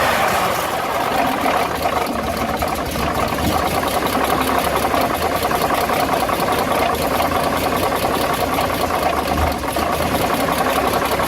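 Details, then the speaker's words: Dodge WC52 engine on deceleration: fast steady metallic ticking and knocking over the running engine, cause not pinned down. "Quand on prête bien l'oreille. On entend bien le fameux bruit à la décélération."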